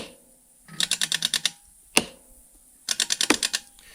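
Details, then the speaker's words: Ryobi RM480E 48V riding mower with the cutting blades engaged: bursts of rapid sharp clicks as the solenoid engages and disengages. The cause is a 'voltage crash' from a weak, low battery pack, while the motors cut out. "So the clicking is the solenoid engaging and disengaging. The reason why this happens is what I call voltage crash."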